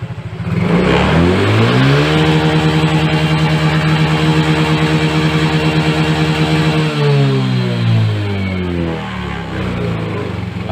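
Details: Yamaha Mio J injected scooter that hesitated under throttle even after injector cleaning, after replacing the hardened MAP sensor: full-throttle revs climb smoothly, hold high, and drop back cleanly with no stutter, and the MIL stays off.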